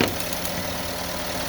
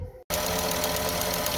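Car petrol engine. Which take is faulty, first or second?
second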